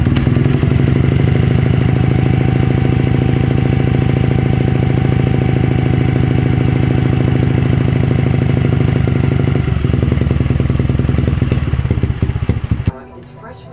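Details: Honda CRF50 after fixing a pulsing idle caused by a bent throttle cable elbow and gouged throttle casing (carb spring and cable replaced): steady, fast putter about three beats a second, no surging, then shut off; idle fixed.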